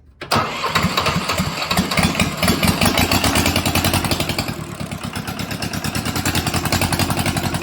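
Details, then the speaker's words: Mitsubishi D1800 II diesel, first start after replacing cracked cylinder head, glow plugs used: catches after cranking, then pulses unevenly and hunts at idle; rough running and surging, owner suspects air in fuel system or governor issue. "Oh my goodness. Well, there we go. It's a runner. I have, sounds like I have some air still in that fuel system. I'm sure the air will work itself out. And it seemed like I was maybe dealing with an issue with the governor."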